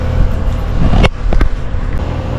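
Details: New outdoor AC condenser, service call for no heating or cooling, after wiring repair and restart: steady low rumble with faint constant hum, running normally.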